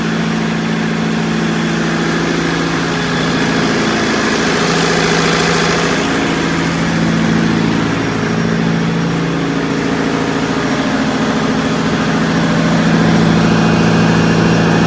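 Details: Perkins four-cylinder diesel (4.152/153/154) in 1980–81 Bobcat 843, injectors reset to crack at 2200, electric fuel pump fitted: idle with uneven lumpy beat rising slightly near the end; starts easily but runs rough rather than smooth.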